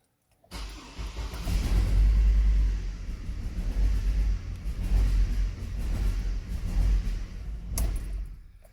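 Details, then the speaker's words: Hummer H3 idling with the airbox reinstalled and the wrong ignition coil unplugged alongside a faulty coil: uneven stumbling lumpy idle, two cylinders dead; shows the wrong coil was disconnected during trial-and-error coil diagnosis. "so that raf idol right now proves you even if it jerks a bit less it proves you you just disconnected the wrong ignition coil"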